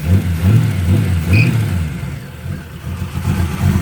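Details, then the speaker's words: 1966 Toyota Stout during rebuild, running off its cleaned fuel tank with a new filter and a little air in the line, warming up: revs and settles into smooth, even waves with a steady low beat and no knocks or misses. Healthy running. "sound good i love that sound more pressure is doing good"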